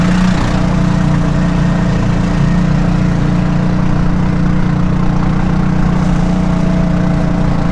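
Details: Kawasaki Mule on a chilly morning, idling: loud, rough, low blatting drone much harsher than normal; loud exhaust noise, owner's partner suspects something loose, owner suspects muffler.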